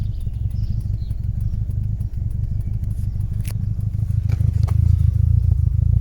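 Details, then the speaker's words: VW T4 van at idle with a flashing warning light: deep idle with an uneven, stumbling low thump that drops beats, slightly less bad when revved then returning; misfire at idle, cause not found. "horrible misfire [Music] now flashing light"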